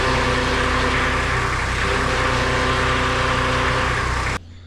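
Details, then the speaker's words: Toyota Landcruiser HZJ75 diesel idling with reservoir cap off, steady grinding whine over the engine; power steering pump cavitating with aerated oil though level is full, likely damaged by earlier running low on oil, pump to be replaced. "so that's the grinding sound it's making there's plenty of oil in it but you can see all that oil is like air rated like the pump's cavitating"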